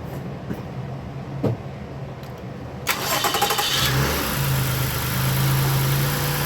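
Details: 2017-2019 Toyota Highlander first start after spark plug, PCV valve and air filter replacement and throttle body cleaning: quick crank, clean catch and flare, then smooth, even idle with no misses or ticks; normal start and idle.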